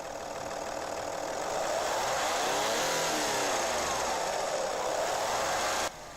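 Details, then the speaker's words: Audi A4 Avant 2.5 V6 TDI (AKE) diesel held at sustained raised revs on the driveway in gear, light steady valvetrain tick through the hiss and drone; owner suspects clogged, sticking hydraulic tappets; cams previously changed, not believed the cause. "hopefully you've heard some the tick in there I'm going to be trying to resolve in this video now what I believe this ticking is caused by I believe it's caused by the hydraulic tappets being bit clogged up and getting a bit stuck"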